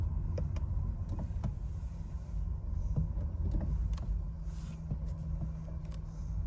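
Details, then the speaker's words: 2018 Nissan Leaf test drive after regreasing the front axle and retorquing the axle nut to 147.5: smooth road rumble with no clicking from the front wheel area; clicking fixed. "the test drive shows no clicking sound anymore"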